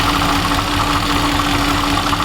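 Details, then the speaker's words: Mercedes C63 AMG (W204, M156) after new drive belt and idler pulley: steady idle with faint constant whirring bearing rumble; remaining noise from the water pump pulley bearing. "Yeah, it is the water pump. The water pump pulley is making a little bit of noise."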